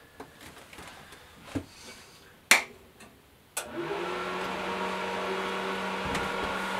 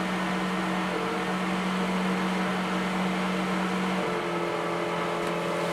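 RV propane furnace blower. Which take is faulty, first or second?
second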